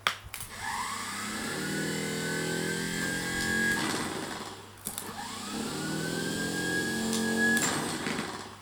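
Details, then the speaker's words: Old Land Rover Series starter motor, off the vehicle and bench-tested unloaded: two runs spinning up to a steady high whine, no grinding or knocking; normal starter free spin. "it does spin up quite nicely"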